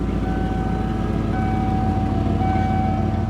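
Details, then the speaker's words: 1995 Ford F-150, low on coolant, running after a previously non-running state: smooth, even idle with steady low drone and no knocks or misses; normal idle. "It runs great. We can't let it run for long because it has little to no coolant, so we need to change that sensor. Listen to that. Oh my God, she sounds good."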